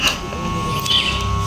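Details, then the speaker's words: Electric air compressor plugged in gives only a steady electrical hum and never turns over. The capacitor checked good; the piston/bearing inside is seized and damaged. "saat kita colokkan hanya terdengar ada suara dengung ya dan kompresor tidak berputar."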